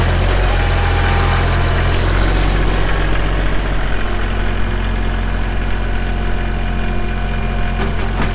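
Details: Kubota L3240 tractor, 32 hp pre-emissions Kubota diesel, 4WD with LA514 loader, 94.8 hours: steady low diesel clatter at a constant idle speed, even and unchanging throughout; normal, healthy diesel idle.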